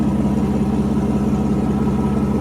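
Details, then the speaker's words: 1992 Mercedes 600SEL V12 barn find after repairs, cold start with vacuum leaks and mismatched mass air flow sensors, loud water pump; smooth constant hum with fine even pulse; normal idle. "But as you can hear it, it runs very very nicely. It's a record in my book."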